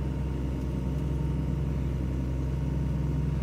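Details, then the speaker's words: John Deere 2054D excavator after swing motor replacement (leaking pinion gear seal), swinging full circle before leak check: steady low hydraulic drone and even hum, no whine, knock or grinding; swing drive healthy. "now we have tons of roll to swing full circle and then go out and check for leaks and we're turning"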